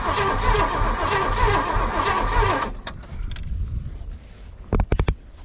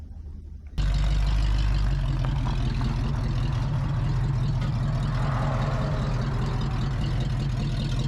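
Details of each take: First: Long-buried 1978 Oldsmobile 98 with rebuilt carburetor and new fuel line: starter churns under three seconds with no firing; crank no start, owner suspects no spark or bad fuel. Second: 1978 Oldsmobile 98 V8 recovered from the woods with a rebuilt carb and new fuel lines: bursts into a deep, steady rumble with no knocks or misses, and it accelerates well.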